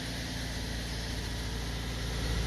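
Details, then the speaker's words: Subaru Impreza 2.0L CVT with 49,000 miles, after replacing the failed starter with a new dealer unit: it cranks and settles into a steady, even, smooth idle with no starter grind. "there you go just like that it started we're gonna go okay in case you didn't hear that one something happened I gotta stick the key in there I'm gonna give it a turn beautiful look at that huh that's beautiful"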